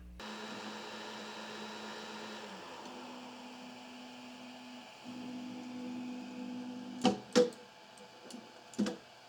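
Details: Creality Ender 5 3D printer after a lead screw upgrade with an anti-backlash nut: smooth stepper hums shift pitch as the axes move, then soft clunks as printing ends. It runs normally and the bed no longer falls.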